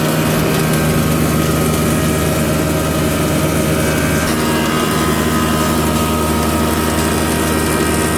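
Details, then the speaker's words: Used SR6-10 (Krasny Metallist) 630 mm thickness planer after restoration repair in May 2021, three motors (main, lift, feed), feed 8–16 m/min: loud steady hum with constant low drone, no knocks or grinding; runs smooth. "Две скорости подачи 8-16 метров в минуту. Показываем станок в работе."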